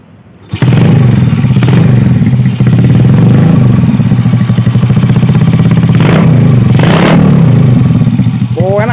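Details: Yamaha Vega R with engine still cold: catches first try and settles into a steady, even idle with no misses; its refusal to take throttle only appears once hot.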